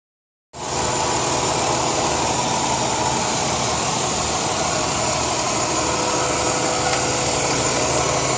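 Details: 2002 Chrysler 300M idling: a steady airy hiss over the engine's run, a vacuum leak from a failed intake manifold gasket.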